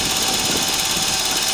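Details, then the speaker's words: VAZ 21093 1.5 engine at cold idle, before trying Suprotec: fast, even light ticking in time with the engine from loose tappet cups in the head; the knock goes away when warm. "и стаканчики там играют сейчас она нагреется стук сразу же уйдёт"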